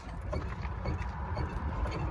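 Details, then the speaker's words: Jeep TJ with 8.8 rear axle, engine off, body rocked side to side: dull irregular low clunks from worn rear track bar bushing; to be replaced with Metal Cloak adjustable rear track bar. "you can hear it a little bit that bushing is worn out"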